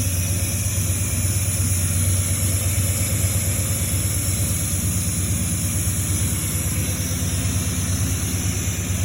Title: Exhaust leak fixed